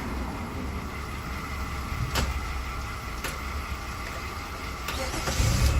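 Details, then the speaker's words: 2005–2009 Jeep Liberty 3.7L with a no-crank no-start: with the starter relay fed directly it cranks and runs at a steady low rumble with a few sharp clicks, showing no power reaches the relay while cranking from the ignition, so the fault lies in that circuit. "you see ignition is on the car is start that means I don't have no power coming while you cranking and also it's sure that our our uh Power is there the full power is there"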